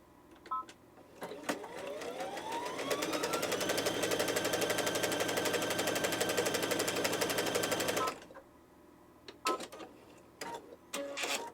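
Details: Baby Lock sewing machine after repair, with feed dogs raised and timing adjusted, test-sewing a wide zigzag stitch: spins up smoothly to an even stitching patter of about four per second, steady with no knocks or catches; normal running.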